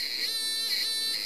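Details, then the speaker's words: 555 timer astable circuit with an LDR, driving a passive buzzer through a 2.2 µF timing capacitor. Clicks come fast enough to blend into a shrill, steady, slightly pulsing buzz. Normal passive buzzer tone. "the clicking through goes so fast we're getting a kind of a buzz now and"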